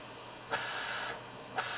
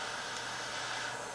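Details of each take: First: Sievert propane torch with its air-intake holes covered by fingers, restricting air. The steady rushing hiss dulls and softens, giving a cooler, soft bushy flame. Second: Sievert propane jewellery torch with air holes uncovered: loud steady hiss with no sputter or flutter, a hot flame; covering the holes restricts air for a softer, bushy flame. Normal torch hiss.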